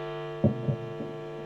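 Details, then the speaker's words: Guitar single-coil pickup turned up: steady low buzz with even overtones and a few soft thumps, horrendous electromagnetic-interference hum, before an aluminium pickguard is held nearby to shield it. "so once again turn it up soon coil [Music] horrendous noise"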